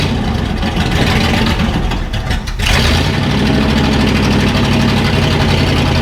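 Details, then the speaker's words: 1968 Ford F-100 V8 after tune-up (carburetor mixture adjusted, points adjusted and gapped, timing slightly adjusted), no muffler fitted: loud open-exhaust rumble idling and revving without stumbling; now starts much better, normal running. "got the points all adjusted and gapped right and then we adjusted the timing a little bit not much but that and now it starts a lot better"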